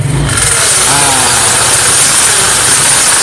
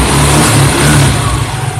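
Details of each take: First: Yamaha Mio carburetor scooter idling: steady metallic hiss and scrape from the CVT side, because the kickstarter lever no longer returns fully and its pinion rubs inside the CVT case while the engine runs. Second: Carbureted Yamaha Mio after CVT repair, noise blamed on the pinion touching the connecting gear; cover refitted, engine revs smoothly with no metallic scraping or crackling from the belt drive; normal CVT sound.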